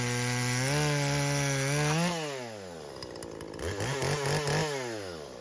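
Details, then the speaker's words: Husqvarna 120 Mark II chainsaw after carburetor and idle-screw adjustment: it revs up cleanly and cuts through wood, with the pitch sagging slightly under load and recovering without bogging. The mixture is set well. "so you can see our carb is set pretty good it cut through that piece"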